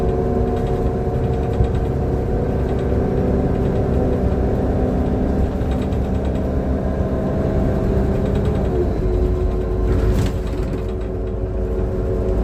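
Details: Transperth bus TP1422 on service 209 to Murdoch Station: heavy diesel drone with an uneven, rough low rumble and a faint droning tone; abnormal engine sound, cause not clear.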